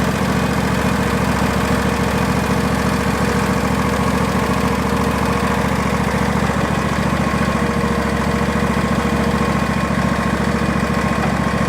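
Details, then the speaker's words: Barn-find Hayter ride-on v-twin mower, safety switch held with a jammed-in hammer, started from a jumper pack: an even, steady idle with a regular low thump, running on both cylinders with no backfire or misfire. Normal idle. "so at least we know that it runs and it sounds pretty nice it is running on both silliness didn't turn in backfire or misfire I think so we've got a nice running engine there"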